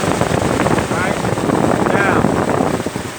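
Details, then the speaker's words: Ford Crown Victoria that overheated at idle because the cooling fans were not engaging. With the thermostat disconnected as a quick fix, the electric fans come on: a steady whooshing rush of air over a quiet idle. Fans running normally; root cause still undiagnosed. "they're having problems overheating here's your fans like coming on try this method"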